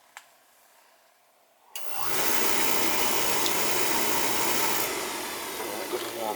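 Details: Oil furnace at annual service, thermostat jumped out, run to bleed air from the oil pump: a click, then the burner lights with a sudden steady even roar; normal oil burner operation.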